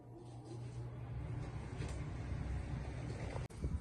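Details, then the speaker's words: A/C unit after capacitor replacement: steady low hum and even rush of air with no buzzing or stalling; before the repair the unit would not turn on or blow, and now the fan runs normally. "The fan has. Now the fan works. I don't know if you can hear it. The wind."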